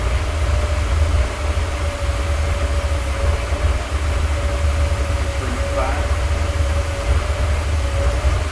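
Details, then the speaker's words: Porsche 928 V8 on its first start after an engine rebuild, once small leaks were tightened. Deep, steady idle with an even, unbroken beat, staying alive with no popping. Normal idle. "it's looking pretty good it's sounding decent it's a really nice party V8 engine sound and he's staying alive and it's not popping"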